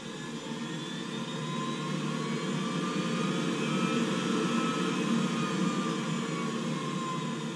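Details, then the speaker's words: Navien NCB-240 combi boiler with a loud vibration noise and service wrench blinking, in fan test mode with tech support: fan motor ramps to peak rpm then back to idle; steady whirring with a faint climbing tone, no clear grinding. "now this is going to cause the fan motor to go through its operational range so it's going to it's going to spin up to its highest rpm output and then it's going to come back down to an idle"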